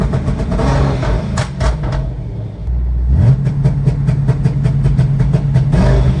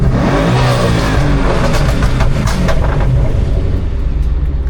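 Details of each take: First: 2011 Ford Mustang GT twin turbo with a newly installed N2MB two-step and WOT box. Clutch is in and throttle is floored with misfire logic off, and the limiter holds a fixed rev with rapid uneven popping and crackling. The launch limiter works, though misfiring is also noted. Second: 2011 Ford Mustang GT twin turbo with a newly installed N2MB WOT box two-step; deep exhaust rumble on a throttle blip with a brief stumble before revs build.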